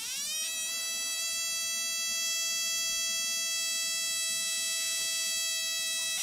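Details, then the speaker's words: NGK iridium spark plug firing in a spark plug tester at around 600 RPM: steady high-pitched even buzz of a good, consistent spark. "here's an NGK uum just just typical looking idium spark plug kind of shade it hopefully you can see that got a nice nice good spark"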